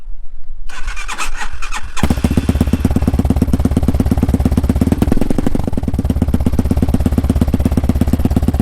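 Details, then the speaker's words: 2020 Hyosung Hawk DLX 250cc, cold start on a very cold day after sitting, with the newly fitted aftermarket exhaust: a brief crank, then a loud, steady, fast-thumping idle through a deep, open exhaust. "It is very cold out here today, folks. The bike has been sitting, so it sounds a little bit better at idle."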